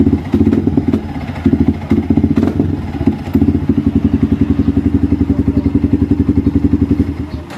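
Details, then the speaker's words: Yamaha Vixion motorcycle stumbles and sputters unevenly when throttled, then settles into a lumpy idle; fuel starvation traced to the fuel pump, with fuel flowing nonstop from the injector hose indicating a problem in the pump assembly. "Oke Guys jadi kendalanya seperti itu ya ngempos ketika digas"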